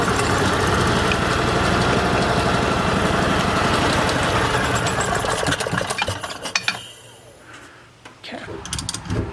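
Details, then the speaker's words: Argo amphibious vehicle with a developed knocking noise: steady knock about four times a second dying away as it stops; engine sounds healthy, knock suspected in the front clutch rather than the engine, not confirmed. "yeah it sounds sounds like it see if we can start this thing and turn it off and see if it makes any noise now nothing something in this clutch"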